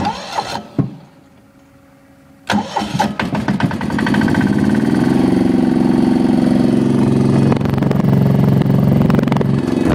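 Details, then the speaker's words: Diesel generator, cold start without glow plugs after a fuel problem was fixed, engine slightly warm (about 70°F, 65°F outside): a few cranks, then it catches and settles into a steady, even idle knock with no stumbling; healthy cold start. "so i guess we can do a cold start i had it once running around sir"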